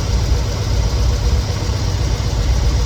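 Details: 1969 Chevelle SS big block V8, sat 37 years, rough lumpy idle with uneven pulse; pyrometer exhaust temperatures show one cylinder running coolest, suspected cold cylinder, rough idle with cause unconfirmed.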